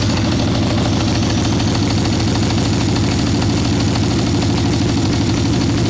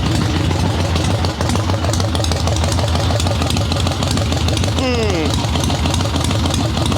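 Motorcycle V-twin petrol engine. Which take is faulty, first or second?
first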